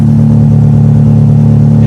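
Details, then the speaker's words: Acura Integra GSR B18C1 after Supertech head gasket and ARP head studs, heard at the tailpipe: steady deep drone with no ticking or puffing; no exhaust leak, exhaust smells normal. "there's no exhaust leak coming from there no more i don't hear nothing coming from the car or from the engine part"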